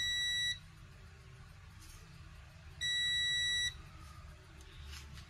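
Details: Apple MacBook model A1369 beeps repeatedly at power-on with no display: clear, evenly spaced high beeps over a quiet room; technician suspects a graphics chip problem, logic board diagnosis pending.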